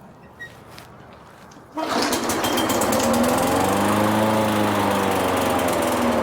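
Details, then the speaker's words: Craftsman mower with Briggs and Stratton engine, pull-started unprimed after spraying carb cleaner into the carburetor emulsion tube; runs at slightly wavering speed with a faint stumble, hesitation assumed from carburetor not fully cleaned. "Start running and just let it run. Now, it did kind of hesitate. That's, I'm assuming, because it wasn't completely cleaned out."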